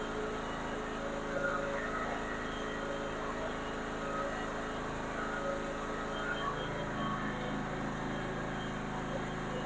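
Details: Lawnmower V-twin small engine just after a valve lash adjustment. Low, steady drone holds an even pitch with no ticking or misses: smooth normal running.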